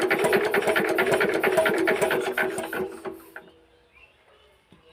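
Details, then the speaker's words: Injector nozzle from a long-sitting Z170F 4 hp Chinese diesel under full restoration, adjusted on the bench: quick regular buzzing chatter about two bursts a second, then stopping; nozzle sound and spray set correctly, normal. "তো finally বন্ধু আমরা এটা নজেলের sound এবং spray সঠিক করে নিলাম।"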